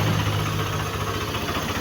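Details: Yamaha NMAX version 1 scooter that would not start from the push button and reportedly stalls, running during troubleshooting: steady, even low putter at idle with no misses; sounds healthy.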